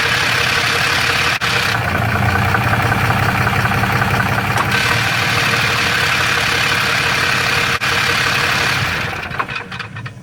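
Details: Dodge Ram 6.7L Cummins diesel with a DPC triple-disc torque converter carries a loose, marbles-in-a-can rattle at idle, believed normal for the triple-disc design.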